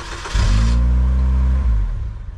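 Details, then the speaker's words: 2002 Saturn L200 with no communication to any module, cranked while scoping a data line: engine catches and runs rough about a second, then dies; starts and stalls, owner suspects a shorted or bad module. "starts and dies but yeah there's no real communication on it so something's probably shorted on it some modules probably bad"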